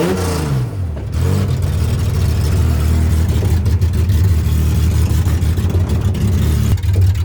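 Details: Widebody BMW E30 on MegaSquirt ECU, first test drive in 2 years: revs climb and hold with an uneven lumpy beat instead of a clean pull; owner says it has tuning issues; rough running under acceleration.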